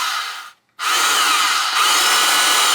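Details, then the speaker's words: DeWalt DW930 cordless trim saw, first test run before the cover goes back on. It had run slow and noisy and failed to start every time; it was cleaned, de-rusted and its stuck brushes freed. Now a clean, steady high whine with no grinding: normal motor run. "Sounds much better."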